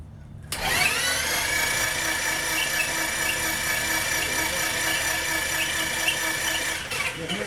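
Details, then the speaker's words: Titan IO-340 180 hp in RANS S21 homebuilt, pre-start oil priming: ignition and fuel off, bottom spark plugs out; steady fast starter whirr, no firing, even pitch, no oil pressure shown yet; pitch change expected when pressure comes; normal cranking. "Should hear a change in the pitch of of it spinning when you get pressure."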